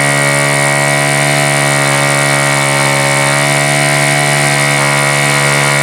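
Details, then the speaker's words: Super Tigre G4500 glow engine, first run: loud buzzing prop tone at one steady pitch with a slightly uneven beat, rough idle; owner suspects the low end is a little rich and leans the low-speed needle slightly. "So I think it's safe to say it might be a little rich on the low end, perhaps. I'm going to give it just a little bit of a turn here."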